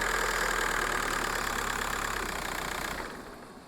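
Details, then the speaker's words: Skoda Fabia Mk1 1.9 TDI PD diesel, stationary, revved just above idle: uneven stumbling beat about four per second, engine rocking; misfire only at low revs, not higher; owner suspects injector wiring loom under rocker cover, unconfirmed. "So, I'll just lift it just above idle, and you might be able to see the engine rocking a bit, which is a bit of a misfire. Doesn't do it in higher revs, but it always seems to be there."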